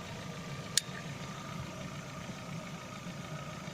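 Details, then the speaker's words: Lada Vesta, 70,000 km, warm engine at idle after cold-start piston knock (owner says not hydraulic lifters): quiet, even idle with steady low hum, no knock, belt not rustling, one brief click; runs smoothly when hot. "а теперь двигатель прогрет обороты как работает двигатель на горячее и ремень не шуршит и сцепление микро хочет и двигатель работает достаточно света прошу обратить делали [аплодисменты] [музыка] всё работает ровно"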